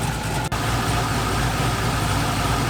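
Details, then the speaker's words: LS V8-swapped Mazda Miata with bigger cam, first start in 7 months, still warming up; deep heavy loping idle rough enough to shake the headlights and whole car, settling toward the 850 rpm target; normal lopey cam idle. "look at that headlights shake that's some serious cam wobble the whole car is just shaking"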